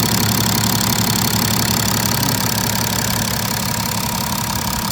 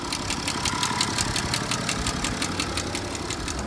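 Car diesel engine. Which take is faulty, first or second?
second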